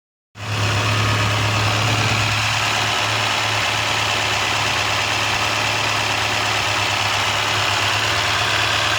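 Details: 2001 Toyota Corolla automatic, engine possibly 7A (owner unsure): steady idle with a light, fast tick at about four per second. Owner suspects valve tapping or timing chain; cause not confirmed.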